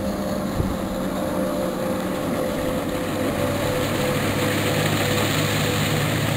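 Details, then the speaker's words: Outboard on a restored 1973 Checkmate boat with new transom, under load pulling skiers: steady even drone over wind and water with no straining or bogging; hardly strains the motor with this smaller boat, healthy. "with this smaller boat here it doesn't even hardly strain the motor uh pulling skiers and you know getting going pretty fast"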